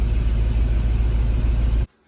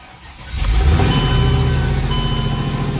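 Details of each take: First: Mercedes E55 AMG after maintenance, codes cleared, at idle; steady deep rumble with ragged puffing edge, exhaust leak still present, likely at the back of cylinder 4 near a missing plug; cylinders 4 and 1 acting up, new plugs suspected. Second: Mercedes E55 AMG V8 cold start after tightening loose header bolts, Marvel Mystery Oil added to fuel and oil: starter catch then strong even idle with no ticking or puffing; header leak gone, though cylinder 4 misfire code persists.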